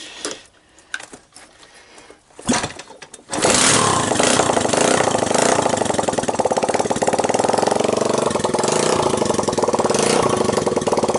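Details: 1985 Honda ATC 200X junkyard three-wheeler, cold start on starting fluid, camera on the tire. After sputtering tries it settles into a steady, even single-cylinder beat with no valve, timing chain or bottom-end noise. Normal running after a cold start.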